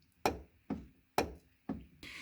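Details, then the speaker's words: Mercedes 300SD W126 front passenger door, just-installed aftermarket (Febi) door check strap, door swung: four sharp clicks about half a second apart, owner assumes play in the check mechanism; door opens easier, earlier popping eliminated. "All right, so we've got a little disappointment in this aftermarket door check, so I'll show you what I'm talking about. You hear that? So I'm assuming what that is the play in the mechanism."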